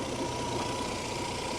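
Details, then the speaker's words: 2001 Cadillac Catera, about 40–45k miles, after a long sit then a hard drive, hood open: smooth steady warm idle with an even hum, no knocks, ticks or misses; sounds healthy. "Pur like a kitten man what a great little car"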